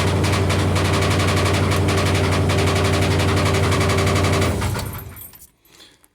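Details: Cold start: sharp, evenly spaced taps about four per second ride hard over a steady low idle hum before shutoff; the owner calls it a little lifter tick, cause unconfirmed.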